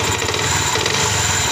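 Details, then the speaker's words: Yamaha R15 bought via COD, rough-sounding and hard-starting, just reassembled (radiator, spark plug, throttle body), idling: fast busy clatter over a high-revving single heard from the right side; mechanic suspects the clutch rubber, not the connecting rod, unconfirmed. "kayak suara karet koplingnya ya ini bukan suara stang sehernya"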